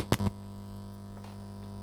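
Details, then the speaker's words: Drok mini Bluetooth amplifier, 12V, aux input with cheap supplied cable: faint steady low hum with no rhythm or pitch change; ground noise the owner blames on the cheap cable, not confirmed. "turn your volume up on the video player and your speakers up you'll hear there's a hum"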